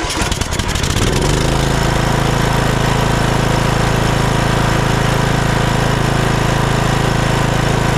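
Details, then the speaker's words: Troy-Bilt Bronco mower, Kohler Courage 19, after installing replacement carburetor with new gasket, no adjustment: catches after brief crank and settles into steady, even idle with no hunting or surging; runs beautifully. "no adjustment Straight Out of the Box runs just beautifully"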